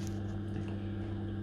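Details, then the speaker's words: Main Combi 24 combi boiler giving no heating or hot water, switched on manually at the timer with power light on: only a low, steady circulating-pump hum; no fan whoosh or burner roar follows, so the boiler never lights. "you can hear something happening that's the pump what's running and basically that's all what's happening so the power lights on you can see you've heard the pump start but there's no burner so it's a burner in there and that's not coming on there's no fan running"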